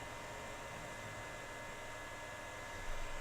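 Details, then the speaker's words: Compaq Presario desktop with no activity on startup, power supply tested with only the motherboard connected, no hard drive: steady, even airy rush with no rattle; power supply fan spins strongly and freely, healthy. "oh look at there look it says compact the Fan's running strong it sounds"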